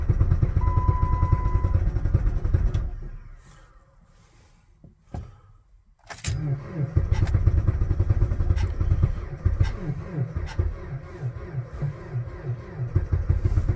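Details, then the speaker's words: Jeep Patriot at about -36 to -40°C with failed block heater, after about 15 start attempts with pedal to the floor: long cranking, brief stumble, then rough uneven running with knocking and check engine light; extreme cold start. "oh it was so close there yay oh listen to the knocking check engine lights on no big surprise there she ain't happy"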